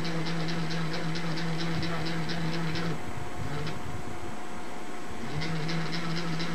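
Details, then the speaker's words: 1961 Webcor Microcorder EP 2104 reel-to-reel tape recorder on first power-up: steady low motor hum with light even ticking from the transport; reel motor runs smoothly with good torque, though a bad transistor is suspected. "pretty good torque for what it is I guess"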